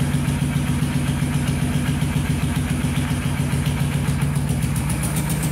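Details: Steady, even low chug at idle with a firm, regular beat and no knocks or misses: a Kawasaki quad, previously a no-start, now runs and sounds healthy.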